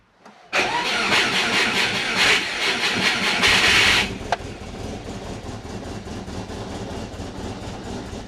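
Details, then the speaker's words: Turbo Subaru Forester on first startup after fitting new Haltech 980cc injectors and rewiring them catches with a loud rasping burst, then drops to an uneven, lumpy idle that doesn't sound right; cause not yet known. "Doesn't sound too good."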